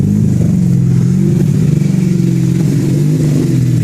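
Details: Mazda RX-7 running hot, idle wandering between 1,000 and 2,000 rpm instead of settling as intake temperature rises; spraying starting fluid produced no change; hunting idle, owner suspects a vacuum leak, not found.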